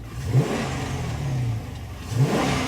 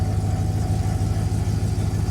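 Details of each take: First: Still revs up just fine. Boy, that made that uh made a little bit more noise out of that uh engine, didn't it? Yep, she runs just fine. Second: Engine with 447,000 miles, just started: steady deep idle with a loose light rattle underneath from worn water pump rattling at idle.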